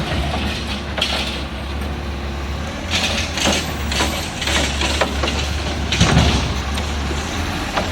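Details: Refuse truck on a recycling route with an exhaust leak; loud, raspy diesel drone that swells with each throttle push, a blatty edge especially when accelerating.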